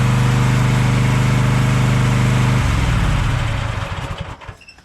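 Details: Craftsman push mower started on choke after a split part was replaced, running steady and even at constant speed, then shut off and coasting down; it runs fine.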